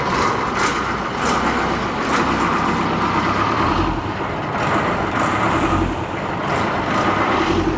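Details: Boat engine on a repeatedly sunk Mekong Delta boat, after repair: steady, even drone under load with no knocks or misses, unchanging pitch; running normally.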